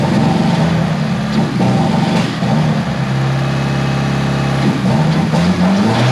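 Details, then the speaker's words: Tial BOV just installed on a car started cold that morning: loud revving that wavers and sags, pitch hunting, bogging at idle when given gas; owner thinks it feels like fuel cut, cause unconfirmed. "well she's still running really rough and she's like bogging down an idle whenever you give it gas"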